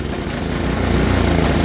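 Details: Tecumseh HSSK50 5 HP engine on a Mastercraft 24-inch MTD snowblower runs rough with no power, an irregular stumbling misfire; spark cuts out completely, pointing to a failing electronic ignition coil rather than the carburetor.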